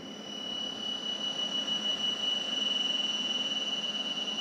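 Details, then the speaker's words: USB ground loop noise when mixer is plugged into a USB hub while audio interface connects to laptop: thin steady high-pitched whistle/buzz around 3 kHz, unchanging pitch, worse in headphones; improves when mixer USB unplugged. "that is a nasty sound and i'm having trouble amplifying it i actually have the speaker turned up all the way but in the headphones it sounds really bad"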